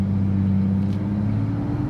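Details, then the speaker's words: Chevy Silverado V6 work truck with a new engine and Jasper-remanufactured transmission, pulling away from a stop under throttle. Deep, smooth, even drone, no knocks, rattles or whine. Not V8-quick but strong: normal acceleration. "Sure doesn't throw you in the back like a V8, but it gets you going. You can hear the engine strong, no problem at all."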